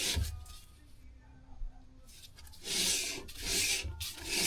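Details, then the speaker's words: Classic car drum brake (Sunbeam Imp check-over) after adjuster wound back: light dry scraping swish each turn as the wheel spins freely, shoes just kissing the drum, which is wanted. "That's nice and free that. But it's catching which is what we want really."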